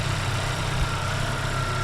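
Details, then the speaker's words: Freshly rebuilt Daewoo Lanos engine after first start, warming to operating temperature: steady, even idle with a low smooth beat, no knocking or ticking; the earlier noises are gone, slight smoke noted as burn-off. "а дымит как бы то что горит так машину прогрели сейчас уже этих звуков не слышно"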